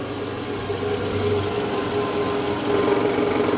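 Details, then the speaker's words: Toyota Alphard, about 90,000 km, cold engine idling in reverse: rough buzzing rattle and low hum, an abnormal vibration in the engine area attributed to a loose, worn balancer shaft. "Jadi pas mesin dingin ini kalau dimasukin air sama dek itu ada bunyi abnormal bunyinya itu bunyi getarannya di area mesin tadi kita udah sempat analisa itu indikasi dari balancer shaft"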